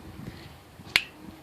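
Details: Bontrager Rhythm Comp 26 rim at 28 psi, tire pressed by hand: single sharp bright tick; quiet at 15 psi or lower; oiling near the weld helps only temporarily.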